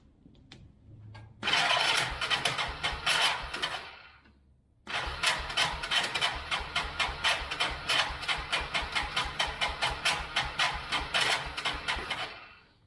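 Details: 1999 Yamaha Bear Tracker 250 ATV, sat for a while with suspected bad gas, cranking on full choke: two bursts of uneven, labouring cranking with ragged clatter, no firing; starter sounds weak and rough; cause suspected, not confirmed.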